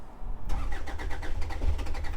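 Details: Hyundai Santa Fe diesel, crank no start after replacing the injectors; the scan tool still showed low fuel pressure. Steady starter cranking with even compression beats for about two seconds while a duty-cycle signal is scoped, but the engine never catches.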